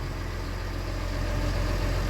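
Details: Wood-Mizer sawmill engine after replacing drive belt with correct one for different-tier motor (owner suspects a bearing may need replacing): steady even low drone, no knocks, rattles or belt squeal; normal running.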